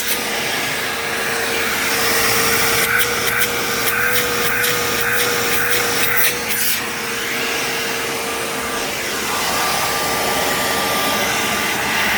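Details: Bissell PowerGlide Platinum (3545-2) upright vacuum: normal motor roar with an odd thin "wah" whine on top, heard mostly as the motor winds down; cause unknown.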